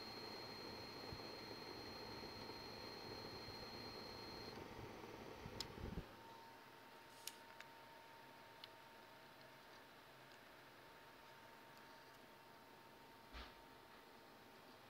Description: I have a buzzing noise at the end of Unigine Heaven with the PSU Corsair AX850 and the GTX680 Lightning. It's normal?